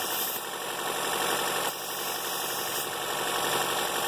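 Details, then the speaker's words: 2013 Chevrolet Volt, about 120,000 miles, valve cover with integrated PCV: steady airy hiss over quiet idle as air is sucked in at the valve cover, causing lean condition and failed emissions readiness; vacuum leak. "this fact here is the actual PCV valve that's not the problem is this if you hear it it's sucking there"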